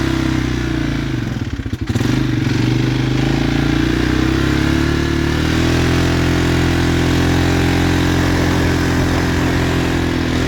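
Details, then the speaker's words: 2016 Polaris Sportsman 570 single cylinder after rebuilt crankshaft, reusing the same piston and cylinder: uneven tapping three or four per second that settles as revs steady, clutch noisy and slowing. Owner suspects piston knock. "I don't know why the clutch is making that noise and slows down. It's got a, I think that's a piston knock. You hear it in there?"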